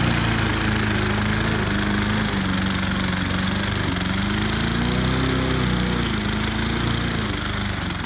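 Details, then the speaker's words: Snapper self-propelled lawn mower, about 10 years old, engine knocking and parts under the cover cracked: roars flat out with wandering pitch and uneven pops; throttle stuck wide open because a small linkage piece where the choke holds broke off, also affecting idle. "that's the where the choke holds that's part of it and it also messes with the idle oh that's why it's running wide open"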